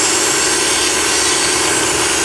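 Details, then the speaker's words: VW/Audi V6 with codes P0171, P0174, P1136, P1138 (lean mixture), at idle: loud steady hiss over quiet idle from a split, heat-aged rubber intake hose; vacuum air leak. "It's a common problem, this is not the first car I had. And you can hear that air leak right in this area right here."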